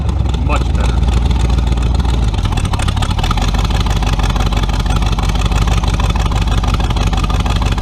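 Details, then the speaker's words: 350 V8 with tunnel ram and two Edelbrock 600 cfm carbs (1405/1406) on new metering rods, after clearing a plugged part: deep, strong rumble pulling cleanly without stumbling or bogging; now running smoothly. "whoa definitely better oh yeah"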